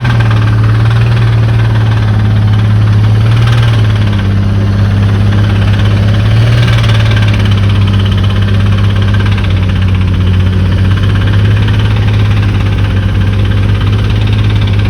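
An idling car engine with a deep, steady knock riding under the low drone. Cause suspected, not confirmed.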